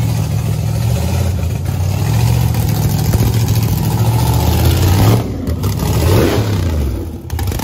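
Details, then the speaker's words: Loud, deep V8 after fixes including welded-up headers and a vented race tank. Holds a strong idle, then blips cleanly, revs rising and falling evenly without stumbles. Healthy engine. "i just got blasted golly i forgot how loud this thing is"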